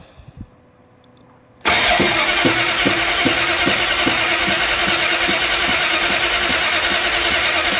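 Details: 1969 Plymouth Roadrunner with freshly built 383 V8, first start after installing driver's-side header, in neutral: catches and runs loud with a steady tick about three times a second on top; an exhaust fault is suspected, not confirmed.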